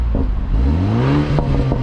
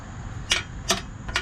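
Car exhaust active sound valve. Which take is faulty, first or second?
second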